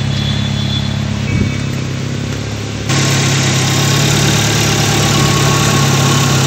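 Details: Chevrolet Spark after head gasket replacement and timing job, restarted before coolant fill with one hose off: revs pick up slightly near three seconds then hold a steady, even idle, no knocking or missing; running cleanly.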